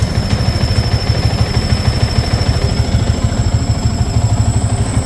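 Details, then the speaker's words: Yamaha Sniper 150/155 at idle: steady high whistle above a lumpy idle, holding pitch with the engine, from the worn water pump seal, impeller and bearing; costly if ignored, oil and coolant may mix. "yan yan yung tunog na yan sumisipol yan magastos yan"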